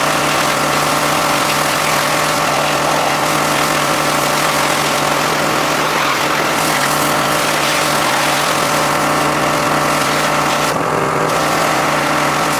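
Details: John Deere X540 mower that came in crank-no-start with no spark, idle about a year; both coils found dead, failed module swapped. Twin-cylinder engine running smooth and steady at an even pace, no misses or knocks: normal running after repair.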